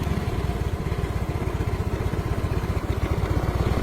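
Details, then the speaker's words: Yamaha Mio M3 scooter idling after a short that cranked it with the key off was fixed just by tapping the relay; starts and keeps running with the jumper removed, charging over 13 V; steady even putter, no misses; normal idle. "Nah, motor sudah hidup, Guys. Kita cabut. Nah, dia hidup. Ketika dicabut pun sudah hidup, dia."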